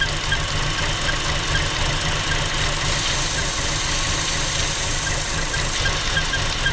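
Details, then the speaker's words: 2015 Chevy Cruze 1.4L with lean code, engine cover off at idle: constant airy hiss over a slightly uneven idle, audible plainly; vacuum leak from the ruptured PCV diaphragm in the valve cover. "Now you guys might be able to hear this already, but I can hear a vacuum leak plain as day."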